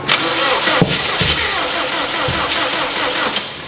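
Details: STI-swapped Subaru 2.5RS on first start attempts: the starter churns with uneven sputters and brief near-catches that never turn into an idle; the owner thinks it has far too much fuel.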